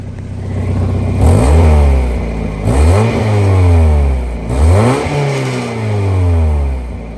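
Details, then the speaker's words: Mazda Miata while driving and accelerating: raspy roar rising and falling with revs from exhaust; owner suspects an exhaust leak, unconfirmed. "you guys want to know how I know there's an exhaust leak I mean listen to this"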